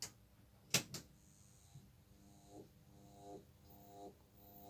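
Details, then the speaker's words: 1973 Autovox 2682 colour TV, plugged in after over 40 years: switch-on clunk, then a faint rhythmic pulsing tick-tone about once a second; power supply pumping because of a shorted tripler. "I don't think it fared well because it's not walking now so I've tried it I mean they're all I'm getting now is a pom-pom"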